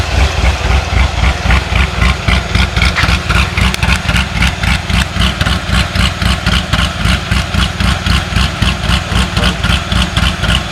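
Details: C6 Corvette Z06, ProCharged 441 LSX on E85/methanol after heads and cam install: steady even quick-pulsing V8 idle, earlier ticking no longer heard, much quieter; engine shaking, motor mount suspected.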